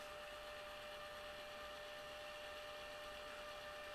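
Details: Hikvision DVR that showed "HDD error" and beeped even with a new drive, running after a bad connection at a resistor by the power supply's TL431 was fixed: a quiet steady hiss and low hum with no clicking or buzzing.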